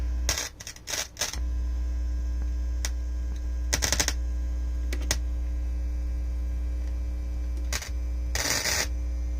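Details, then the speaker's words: Technics SL-Q2 turntable, ground wire disconnected: steady low mains hum with handling clicks, high on VU meter; touching ground wire to metal plinth quiets it, grounding needs redoing. "see by the view meter, it's the feedback grounding noise is pretty high. But if I go to, I've got a solid ground wire in here, and if I touch it to metal, you can hear that it goes quiet."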